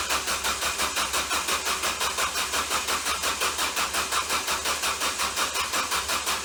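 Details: Ford Focus starter motor shorted internally from burning up: steady, rapid cranking rhythm of about three beats a second with no catch or firing.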